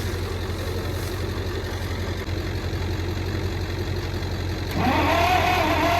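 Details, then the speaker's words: Michigan 35A wheel loader, Continental six-cylinder gas engine, sat for years, with one burnt-off plug wire: sluggish cranking, never catching, even with jumper cables wired straight to the starter. Something is suspected of drawing the power down. "still sounds like something's drawing down on it or something so now we're going to try and hook the cables right to the starter to see if it spins over a little faster should be good even doing that didn't seem like a spun much"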